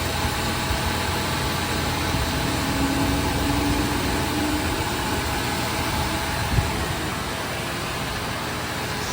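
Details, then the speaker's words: 2000 Ford F-150 5.4 Triton V8 at its first start after new spark plugs and coil packs, with the battery having been disconnected: a steady, smooth low-rumble idle with no misses or knocks. A fuel rail leak was found afterwards. "Sounds like we're running pretty good. Let's have a listen up under here. sounds pretty smooth."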